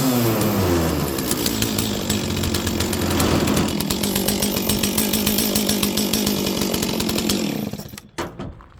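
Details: Stihl 036 chainsaw that sat about 20 years, restarted after priming with fuel: the old two-stroke fires and holds a steady, crisp buzz for several seconds before shutting off; normal running.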